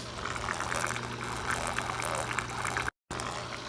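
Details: DIY refugium sump for a saltwater nano Biocube, tank not yet cycled: constant trickling and gurgling water over a low steady pump hum; return line splashes noisily, owner asks how to stop it, cause unclear.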